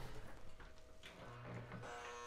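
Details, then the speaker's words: Lionel U36C Chessie/Western Maryland O gauge diesel locomotive that failed on a run day, at start-up: thin steady electrical buzz instead of smooth running; suspected dry brushes on armature plates or poor track pickup, unconfirmed. "can hear it's buzzing, which is an automatic indicator that something's either dry on the inside, such as your brushes contacting your armature plates on your motor, or maybe it's not picking up electric cleanly from the track."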